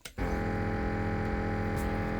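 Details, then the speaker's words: 1975 Sony TC-136SD cassette recorder, gummed-up unit being restored, played through an external amplifier and speakers: a constant steady low 50 Hz hum instead of the music on the tape, an electronics fault in the playback. "yep yep that's that's a nice 50 hertz hum of some sort yeah that's interesting um let's turn that off that was an interesting Buzz"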